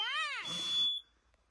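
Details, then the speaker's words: Smoke detectors mounted high, middle and low in a hot tent smoked out in a stove back-draft test: shrill, steady high-pitched alarm over rustling, then chirps again; the top one sounded in about 10–20 seconds, middle about 1.5 minutes, bottom later. "i think the first one only took about 10 seconds or so to go off 10 15 20 seconds medium height one took about a minute and a half i think the bottom one's going off now too"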